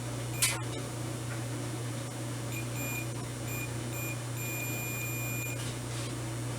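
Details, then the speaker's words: Volt-ohm meter after replacing a corroded, failed 9V battery, set to diode/continuity: steady high-pitched beep while the probe tips touch, over faint room hum; continuity check working normally. "come on yeah that's the reading you should get okay we're good"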